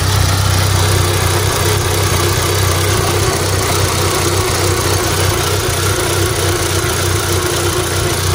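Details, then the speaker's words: Neglected VW Golf Mk5 GTI at idle: rough, uneven running with a loose metallic rattle; owner suspects a misfire; no engine light, revs all right. "i'll show you guys what it sounds like it sounds pretty rattly"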